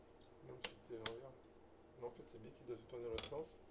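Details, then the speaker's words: Cheap 125–150cc four-stroke dirt bike engine, top end removed, turned slowly by hand: faint, irregular light clicking; con-rod and crank bearings checked good, click seems to come from the kickstarter side, cause not yet confirmed. "Donc là, on a un petit clic-clic. A priori, on a l'impression que c'est du côté du kick là-bas."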